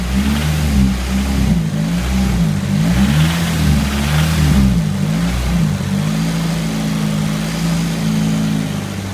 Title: Sr20det rattle knocking noise